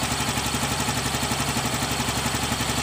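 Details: Yamaha Mio Gravis scooter that stalled from a faulty side stand switch, after replacing the switch: steady even idle with regular firing pulse and no stumbling or cutting out.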